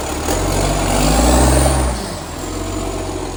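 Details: Canada Bay garbage truck SL780, diesel, Euro 3 style Euro 5 facelift, exhaust pipe leak (later fixed): revving up then settling, harsh raspy overly loud blat on the revs; exhaust leak.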